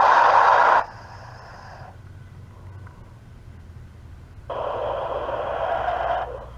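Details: Cell phone call: instead of the normal ringback tone, two bursts of harsh, hissy static with a faint hum in the quiet gap; persisted after hanging up and calling back about three times, cause unknown.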